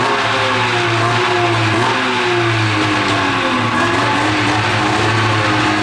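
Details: 13-year-old two-stroke race snowmobile, warmed up, after debris was cleared from the fuel line: the loud revving climbs and sags lazily instead of snapping up. It still bogs with sluggish throttle response; the owner suspects a sticking power valve, since it rips when cold.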